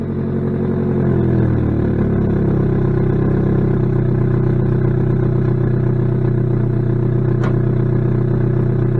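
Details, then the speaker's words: 2006 Saturn Ion Redline supercharged, 116,602 miles, just started: engine revs then settles to a steady run under a loud raspy puffing chatter from a major exhaust leak. "It does have a major exhaust leak too, so not hear me once this gets going."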